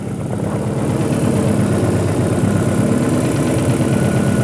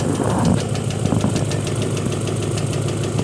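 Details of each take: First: Engine after replacing the broken knock sensor behind the engine under the intake manifold: smooth, even idle with a steady low hum and no knocking or ticking; engine now quiet and healthy. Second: Honda engine at idle with a light, regular tapping about three ticks a second, less prominent at higher rpm; valves already adjusted. Cause was a faulty knock sensor with a check-engine code, not valve lash.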